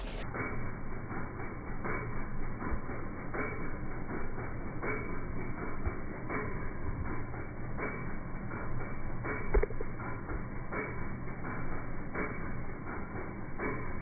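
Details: Toyota Land Cruiser FJ60 freshly started rebuilt engine idling: steady, even run of dull knocks; owner asks if it's an engine knock, source unclear.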